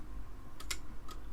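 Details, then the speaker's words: Amiga 500 with a PC floppy drive adapted to Amiga signals, loading Arkanoid at power-up during audio testing: a handful of sharp, uneven head-step clicks over a faint low hum; normal floppy loading. "hear the floppy accessing you can see it down here doing its thing"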